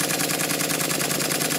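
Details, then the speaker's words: Model triple expansion steam engine with water pump and vacuum pump disconnected, after fitting cylinder drain taps: quick, even chuffing beats with crisp metallic ticks, smooth with no knocks; normal running. "what i'm going to do though is disconnect the water pump and the vacuum pump that way i can hear what the engine sounds like because the vacuum pump makes quite a loud noise listen to the difference when i run it this time"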